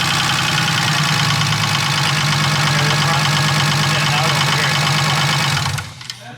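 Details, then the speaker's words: BMW E36 first start-up of newly built swapped engine: steady idle with a fairly regular knock, nearly four per second; listeners disagree whether it comes from the back near the transmission or the front, lifters quieting as it runs. "To be honest, it sounds like it's coming from the very back of the motor. Like on if the not, bottom? almost the transmission."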